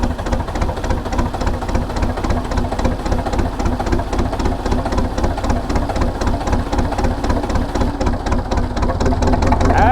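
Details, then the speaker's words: Diesel cold start on a brisk 52°F day, heard near the exhaust. It is reluctant to start in the cool weather, then settles into a steady low chugging at about four pulses a second that slowly firms up. Normal diesel idle after a cold start. "so she is not happy about starting in the cool weather and it's a Brisk 52 degrees today so yeah it's not going to be excited about starting"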